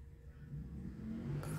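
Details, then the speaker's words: Neta V electric car creeping or slowing to a stop: a low, soft synthetic engine hum that swells slightly, like a motorcycle alongside. This is the pedestrian warning sound working normally; it can be switched off. "มันจะมีเสียงเหมือนมอเตอร์ไซค์มาอยู่ข้างๆเราตลอดเวลานะผมก็เอ๊ะเสียงมันเป็นเสียงอะไรเสียงสังเคราะห์หรือเปล่านะครับสรุปก็คือมันคือเสียงสังเคราะห์นะครับเป็นเสียงที่ทำขึ้นมาเพื่อทดแทนเครื่องยนต์เดิม"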